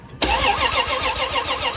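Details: 1978 Plymouth Volare wagon that sat in a junkyard for 4 years, after a bad ground in the ignition wiring was fixed: the starter cranks the engine normally with a quick, even churn of compression pulses and no firing yet.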